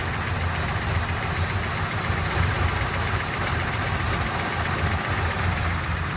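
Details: 1972 Chevrolet Nova carbureted V8 with Holley carb, warming up after choke, idle speed adjustment and leaning the idle mixture: burbling idle with a fairly even low pulse, no hunting or stalling; normal idle.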